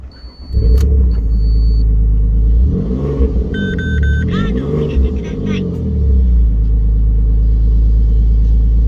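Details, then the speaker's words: Alfa Romeo 147 GTA after a full engine rebuild, with a coolant leak at the thermostat resealed: smooth, deep idle with clean, even rev blips and no ticking or knocking; the engine runs healthy. "so as you can hear the engine is now all done and running really good"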